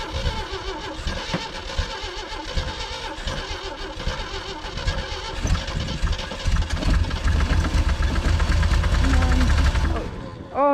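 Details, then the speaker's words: 1980 Jeep CJ with 258 inline-6 sat about 20 years: starter churns about two beats a second, catches briefly then quits; cranks but stops when temporary power source removed, something missing in ignition. "it has enough to crank it but as soon as I take that away it stops and that's because there's something missing in the ignition"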